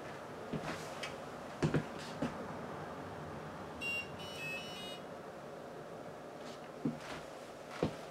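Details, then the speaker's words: Xi8088 computer powered up after refitting an 8259 interrupt controller chip: short beep then a longer high beep among handling clunks, a POST error because the keyboard isn't plugged in. "Yeah, that's new. Oh, because the keyboard's not plugged in."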